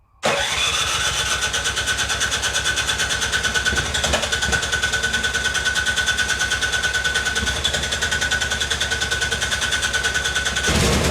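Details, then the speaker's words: Almost-new Remington 24-inch two-stage snowblower (MTD, 208cc Powermore) restarted warm: engine runs unevenly, then sharp backfire pops when the augers engage; intermittent problem. "and there you go you heard the backfire so it worked that one time so it's it seems to be a bit of an intermittent problem"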